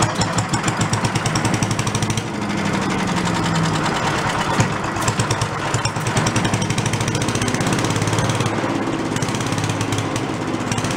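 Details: Late-70s/early-80s garage-sale walk-behind Giant Vac leaf blower, primed and first run: fast crisp even two-stroke buzz a little under full throttle, no stumbles; carburetor has no idle circuit, so it won't idle.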